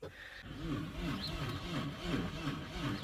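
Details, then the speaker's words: 2002 Audi A4, 188,601 miles, coolant bone-dry, little fuel: slow labouring crank with uneven chug about four times a second, never catching; cranks but won't start, battery believed to need more charge. "you could hear it trying to turn over but the battery needs to charge more so we're gonna let it charge you guys look I'm excited yo it's at least I'm hearing it trying to craic you guys"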